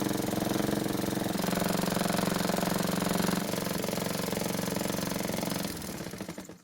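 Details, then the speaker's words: Honda mower run low on oil: harsh, rattling knock hammering every turn over the engine note, dying off at shutdown; crankshaft bent from oil starvation, ignition coil also marking the flywheel. "so as you can hear it sounds terrible and to be honest I'd never buy anything that sounds this bad now my first thought was that the ignition coil was hitting the flywheel"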